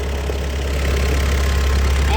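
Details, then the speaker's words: Mitsubishi Montero diesel idling after new EGR valve and motor replacement (failed turbo background): steady, even low rumble with no whistle; before repair it whistled right from startup, now gone; normal idle. "so wala na yung sipol guys ha. Pakinggan yung mabuti, wala na. Dati pag andar pa lang yan, sumisipol na yan kahit nakakabit ito."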